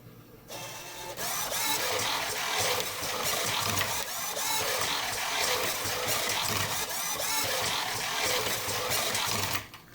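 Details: 3D printer Monolith gantry with Ouroboros closed-loop FOC servo controller under Klipper at 250,000 acceleration: fast, busy chirping and whirring as it darts around, running normally.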